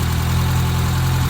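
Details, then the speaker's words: 1984 Toyota Tercel SR5 wagon with timing belt that was way off, now probably still a tooth off; low steady idle holding on its own but slightly lumpy. "foreign that's mine alrighty well as you can hear she's uh at least idling on her own now the timing belt was way off we got it still probably off of tooth but it's at least reasonable right now"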